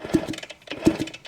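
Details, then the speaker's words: 1975 Kawasaki KE125 two-stroke, formerly seized, about 1,670 miles, crankcase filled with ATF, kickstarted after freeing: slow, even mechanical ticking as the engine spins over, with no crunching or grinding; it turns freely now. "So let's see if this Kickstarter works. Oh yeah. So it must have just been right there in that cylinder. Doesn't sound crunchy."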